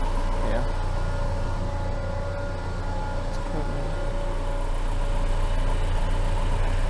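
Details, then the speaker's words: Engine on a dyno in limp mode, not yet under load: steady, heavy mid-rev drone that holds flat, reaching only about 3,000 rpm. "well it still isn't revving it that time it was only going to about 3,000 RPM"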